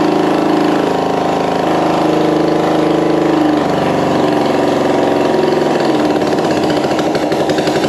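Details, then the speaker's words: 1965 Honda CB450 Black Bomber twin, freshly installed replacement engine, first start on choke, throttle possibly not working: steady lumpy mid-pitched rumble settling into an even beat, no knocks or rattles; a runner, normal running. "okay yeah don't think my throttle's working but that's a runner sounds good"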